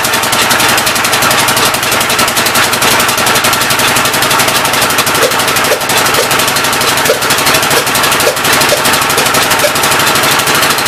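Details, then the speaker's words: Old engine's first start attempt on a temporary coil ignition: fast, even chuffing with a sharp, crackly edge, running rough. The intake valve appears to be leaking but is not hanging open; the owner plans to pull the head and lap the valves. "oh no boys intake valve seems like it's leaking pretty good um it's not hanging open up here"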